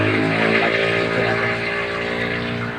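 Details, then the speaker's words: Yamaha Aerox 155 scooter with about 62 on the odometer, running: buzzy, rough hum with a faint ticking and scraping edge; a noisy engine that sounds like a crankshaft bearing fault, though the mechanic is unsure it is the crank. "ang issue pala nito mga Choy Yes ah maingay yung makina niya malagitik saka may kagasgas konaka parang ang dinig mo is ano yung Crank sh yung may diperensya"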